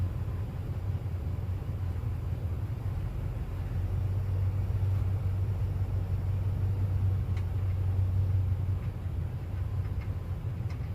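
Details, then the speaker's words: Rebuilt well pump engine after a dropped compression release valve, with replaced head, new gaskets and new radiator: steady low rumble, even pace, no knocks or misses; runs much better now, normal running. "fire's a lot better whenever it's got a good head on it everything"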